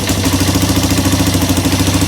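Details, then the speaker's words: Polaris Sportsman 300 single-cylinder ATV just after a new replacement carburetor was fitted, running with the choke held: a steady, even putter with no knocks or misses. It later runs without choke, though a fuel hose leaks. "Let's see if it starts up. [Music] Hold the choke on it."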